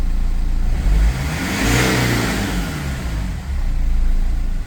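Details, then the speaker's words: BMW E46 M47 110kW diesel after MAP sensor replacement: the sensor was accidentally damaged and boost was lost. It now revs with a rising whoosh and faint turbo whistle as boost builds, spooling normally again. "Okay, so the turbo is working, so I fixed the problem."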